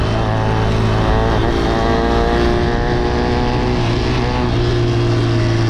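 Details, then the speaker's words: Motorcycle at speed: engine drone with a buzzy rattle on top from the fuel tank vibrating; pressing the knees against the tank makes the noise disappear, so something on the tank (possibly the carb) may be touching. "C'est le réservoir. Quand je serre les yoku sur le réservoir, les cuisses du gaz speed, le bruit disparaît."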